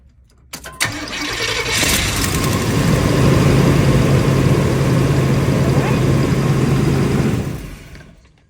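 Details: 1994 Chevy 454 V8 in a Winnebago Warrior P30 class A motorhome, just after new distributor cap and rotor: short crank, quick catch, then smooth even V8 idle without misses or knocks; normal start and idle.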